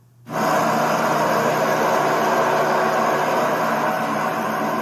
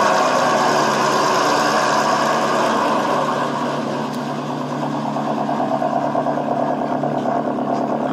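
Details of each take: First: Nissan SR20DET in a drift S14, after rod bearing replacement and after bleeding noisy lifters: steady, even idle with no ticking or knocking, purring like a kitten. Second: Nissan SR20DET in an S14 after rod bearing replacement: idle with a light, fast, steady ticking over the top from drained hydraulic lifters that need bleeding.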